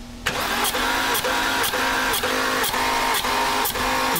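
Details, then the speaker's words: Flooded 2010 BMW 328xi cranking: starter beat about twice a second with one stroke lighter each cycle; one cylinder about 58% on leak test, roughly 40% loss, water ingestion suspected but unproven. "casi 60 por ciento 58 por ciento así que hay un 40 por ciento de pérdida"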